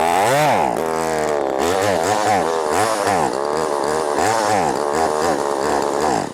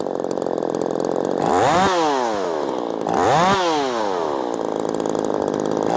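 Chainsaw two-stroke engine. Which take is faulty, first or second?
first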